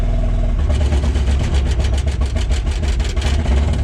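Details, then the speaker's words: Takeuchi TL12 V2 with a Kubota V3800 diesel during an injector stop test: with the number two cylinder cut out the engine goes rough and uneven, showing that cylinder was contributing; the number one cut made no difference. "okay you had to hear that number two cylinder made a drastic difference in how this machine was running"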